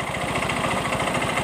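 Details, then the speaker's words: Yamaha Mio M3 125 scooter, fast even tek-tek clatter heard at the CVT case and fan area at idle and light throttle; CVT serviced without grease, worn pulley splines. "Ya, bunyi di bagian area kipas. Kita gas-gas dulu, Guys, sedikit. bunyi Yi tek tek tek cek tek gitu, Guys, ya."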